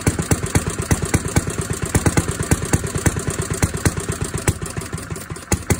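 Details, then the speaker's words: 1937 Briggs and Stratton Model A single-cylinder engine running about a minute with crisp, even pops about three a second, no knocking or misses; normal running. "so as you can clearly hear the engine ran for at least i would say about a minute and it wasn't until about maybe 15 seconds in that i started filming the only camera that i had was my iphone hence the vertical video but it ran and it sounded pretty good no abnormal noises or anything unusual no knocking nothing"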